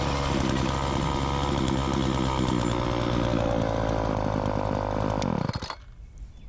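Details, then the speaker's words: Walk-behind wheeled string trimmer, two-stroke, low-speed carb screw opened half a turn, no air cleaner fitted, string short: steady high buzz holding even revs without bogging when throttle punched, then shut off; normal running. "It doesn't bog at all, or at least it didn't that time. See that? This thing runs pretty good, and it still doesn't even have an air cleaner."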